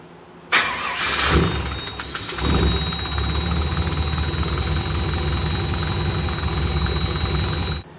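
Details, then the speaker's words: Cab-over truck 454 V8 after replacing the ignition module and rebuilding the throttle body: cranks briefly, starts on its own without throttle and settles into a steady, even idle; the thin whistle is the charcoal canister venting. "I still have that issue, but it's idling much better, and it's starting on its own."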